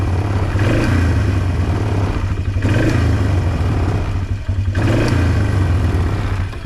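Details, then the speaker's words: 2005 Polaris Trail Boss 330, not run in years, after replacing the leaking intake boot and refitting the carburetor: steady single-cylinder running with gentle rev swings, no misses, may need mixture or idle screw adjustment; normal running. "maybe use a little bit of a mixture screw adjustment maybe an idle adjustment but not bad considering it hasn't ran in a lot of years"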